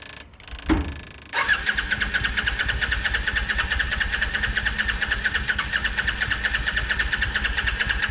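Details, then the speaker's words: 1987 Yamaha Virago 535 that sat a long time, cranked on a jump box after adding fresh fuel: starter whirs steadily about one and a half turns a second, never fires; owner suspects a bad CDI box. Crank, no start. "That thing didn't get no fire, did it?"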